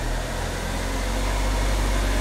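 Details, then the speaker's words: Car with a speed-related front noise, raised on a jack and idling in gear: steady low engine hum with the wheel spinning slowly and no growl or grinding; this wheel bearing is normal. "see this wheel is spinning there's the other side in you do not hear the noise now"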